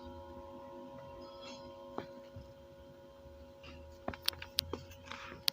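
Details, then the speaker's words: Homemade active speaker amplifier powered from 220 V mains, speaker connected: steady buzzing mains hum; chassis ground not yet complete since components aren't mounted in the wooden box, and touching the ground capacitor wire largely removes it. "Pemirsa bisa dengerin suara dengung."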